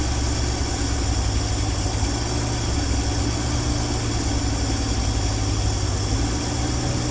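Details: 1965 Dream van engine idling with steady, even low rumble, no knocks, misses or hunting, after wiring short repair and horn relay replacement following earlier oil pressure line failure; settles and runs smoothly.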